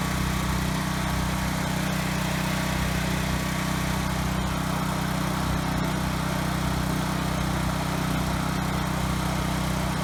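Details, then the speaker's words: Ryobi RY905500 5500-watt generator, bought not starting with broken recoil rope, now running steadily with an even hum and no hunting or misfire after resetting a tripped GFI; frequency slightly high, to be adjusted. "okay good the Hertz is a little bit high so I'm gonna tweak that a little but it was just the GFI that was tripped thankfully"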